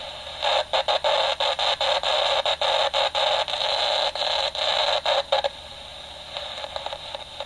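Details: Homemade AM superhet receiver on the workbench. Hissy static cuts in and out several times a second, then drops away: weak, fading reception. The builder suspects the AGC acts in the wrong direction, going up instead of down with signal.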